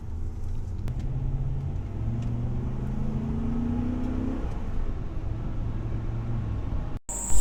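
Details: Ford F-150 Raptor after repair: left-side wheel previously made a four-wheel-drive grinding on acceleration because a leaking vacuum solenoid pipe kept it from disengaging; pipe patched with double tube. Steady low rumble, smoothly rising engine tone, no grinding.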